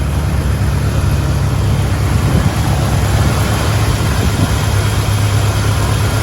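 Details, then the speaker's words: 1972 Chevrolet Blazer, 350 V8, automatic, dual exhaust, restored and possibly with a rebuilt engine. Deep, even idle with a steady low rumble and no misses, knocks or ticks: normal idle. "Runs nice and smooth."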